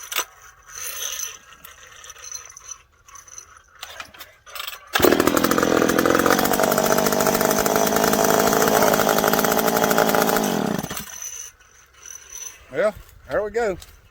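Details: McCulloch PM700 chainsaw, freshly ported, first run after adjustment: strong steady two-stroke howl holding speed under load through the cut, clean and even; saw running properly, break-in next.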